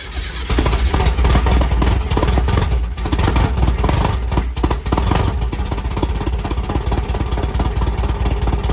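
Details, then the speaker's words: 1967 VW Type 3 Squareback, engine just installed with points and condenser, points gapped, starter fluid used: catches after a short crank and settles into a steady, even putter with no stumbles; normal start and idle. "all right it started right up so the points and condenser did work we have sparked everything seemed"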